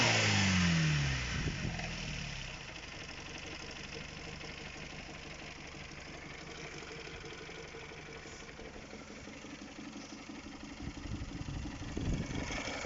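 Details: Honda K20A Type 4 engine: after a rev falls back to idle, a light regular tapping continues at about three to four per second; engine knock at idle, source undetermined.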